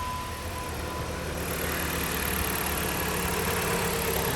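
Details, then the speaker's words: 2014 Jeep Compass after replacing crank position sensor (P0335) with original part: brief crank, starts right up, settles into steady, even idle with no hesitation. "right so here's going to be the start up of the vehicle got the key in the arm position you see all the lights is on crank it starts right up"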